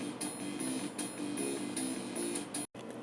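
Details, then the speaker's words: 1993–94 486DX computer during restoration: sound card music playback is muddy and uneven with sharp irregular clicks popping through; output faulty, cause unknown. "well this sound is not exactly as it should be works so weird I don't know clicking and there"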